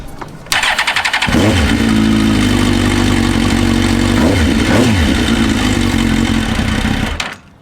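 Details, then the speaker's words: Suzuki GSX-R K1/K2 after disabling the SET valve to cure a woodpecker-like tapping: brief starter whirr, then a steady, even idle with two quick throttle blips and no tapping; normal start and idle. "And it runs absolutely beautifully."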